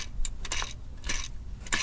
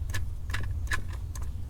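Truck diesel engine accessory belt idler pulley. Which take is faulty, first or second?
first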